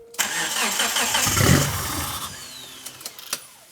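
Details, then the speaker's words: Evo-based show car, first start attempt: cranks, then a rough cough that fades within two seconds while throttle cleaner is sprayed into the intake. Fires on spray, so it isn't getting fuel; the fitted fuel pump is suspected although it seems to prime. "why no fuel what's going on do you think let's take the feed off the rail we'll put it into a fuel safe container turn the ignition on improve that we've got fuel going into the fuel rail"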